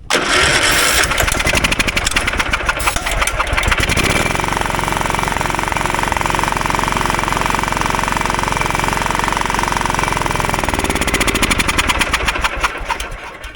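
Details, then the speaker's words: John Deere riding mower after its dead engine was replaced with a 16 hp single-cylinder: brief crank, clean catch, then a steady even run with no misses or knocks, sounds good. "Yeah, she sounds good, man."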